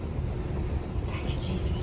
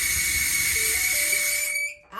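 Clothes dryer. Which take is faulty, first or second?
second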